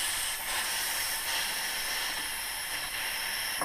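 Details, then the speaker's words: Air compressor supplying a brad nailer, its regulator turned back down toward 0 psi after use before disconnecting the tool while the tanks stay at 100: a steady airy hiss with no knocks or pulses. This is a normal pressure release. "by turning it the opposite way. You can hear that come down, and when that gets down, right around 0, you can then disconnect the tool again like that, okay, or this other side."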